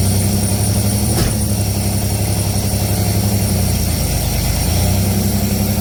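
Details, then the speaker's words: Pontiac Fiero idling with the A/C on and gauges attached: steady low rumble that bogs briefly each time the compressor clutches in as low-side pressure drops; low refrigerant charge is causing short cycling. "you hear the engine change so when that when it drops it bogs down that's the compressor comes on and pressure drops it shouldn't be dropping it should be staying consistent"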